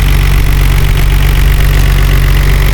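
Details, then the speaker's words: 1989 Nissan Skyline R32 GT-R, Japan-auction import, higher mileage, accident-repaired: steady low idle with fast, even light ticking from the injectors, typical of GT-R engines; runs fairly well, not like it needs a tune-up. "Now it is a noisy engine. You're probably going to hear those injectors clicking like crazy, and that's just the way that this camera likes to hear the GTR engines."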